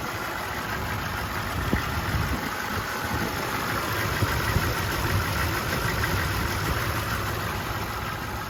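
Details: 1991 V3500 dually diesel, lifelong Michigan truck with low miles: steady even diesel clatter at idle under a low rumble, no missing beats or heavy knock; healthy idle.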